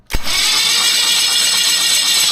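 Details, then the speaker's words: 1976 BMW 2002 freshly assembled engine spun on the starter once oil pressure built: steady, smooth whir with even rhythm, tone changing cleaner with oil pressure, no grinding or binding; turns over freely. "You can hear it turn really nice and clean when the uh when it's got the oil pressure. A difference in the a difference in the tone of it."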